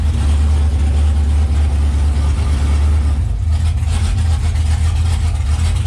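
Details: 6.0 naturally aspirated V8 build after wiring, relay-fed fans and throttle cable repair: deep even rumble holding steady with no stumbles or odd noises; throttle and engine running fine.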